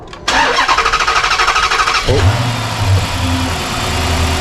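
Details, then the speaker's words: Dodge Magnum V8 with original exhaust manifolds refitted in place of JBA headers whose wrong port shape caused an exhaust leak: brief crank, then steady, even idle with no ticking, no exhaust leak. "sounds just like it used to let me know about those headers guys thanks for watching I'll see you next time"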